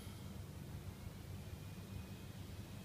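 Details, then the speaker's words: Razer Blade Stealth laptop, newly bought: steady loud rushing air with faint high whine that never eases off; cooling fan running at maximum speed all the time. "the fan speed, it's loaded on a maximum speed all the time, and the noise is actually quite loud."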